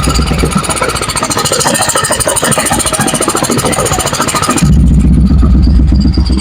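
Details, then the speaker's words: Honda Vario 110 carburetor scooter (KVB), engine previously rebuilt: steady, even single-cylinder idle through a loud racing exhaust, then a small throttle blip; pulses stay regular with no knocking, sounding smooth and healthy. Normal idle. "Suaranya agak berisik karena knalpotnya racing ya, teman-teman ya."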